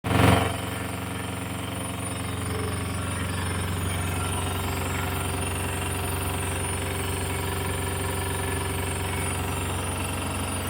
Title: Samsung washer making noise while spinning